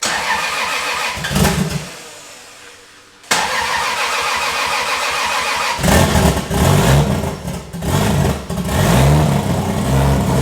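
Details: 1000hp 2JZ engine build at first startup: it fires first try, then stumbles and hunts with uneven throttle blips and an unsteady idle. The fuel pressure sensor and intake air sensor are not connected.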